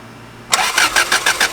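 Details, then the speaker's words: 86 with 3S-GE Beams engine on MS3X ECU, fuel pump running, spark testers on coils one and two: starter cranks evenly about six pulses a second, never catching; no spark, coil pack wiring suspected wrong, ignition positive missing. "okay so I got no spark which means I think the wiring is wrong"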